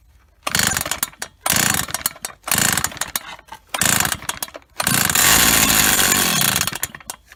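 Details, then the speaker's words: Old Stihl 08S chainsaw (about 48cc, probably later model), first start in a while on old gas, running off choke: short bursts then rough buzzing run with irregular knocking; knock from top or bottom end, cause unclear. "so it's definitely knocking and uh either on the top end or bottom end she's quite loud there"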